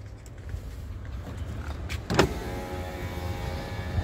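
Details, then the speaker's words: 2010 Isuzu Panther LS Turbo, about 50,000 km, engine running: the front-left power window runs up and down with a smooth, steady motor hum and stops with a soft thud. All power windows work normally. "ya naik turun normal untuk depan kiri power window-nya normal"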